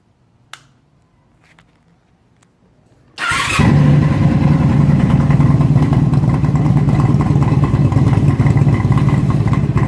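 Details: 1997 Honda Magna 750 with factory exhaust baffles removed by the previous owner: loud, deep, raspy, harsh burble after start-up. Also weak low-end torque and loud popping off throttle. Measured 108 dB before the homemade steel-pipe baffles brought it to 104 dB.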